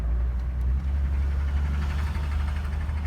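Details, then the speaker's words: 2011 Chevrolet Traverse that broke down, idling before towing and missing badly: rough, loud idle with an uneven knocking beat. Owner suspects lower-end rod knock but is unsure. "It's running, but it's knocking pretty bad, it seems like."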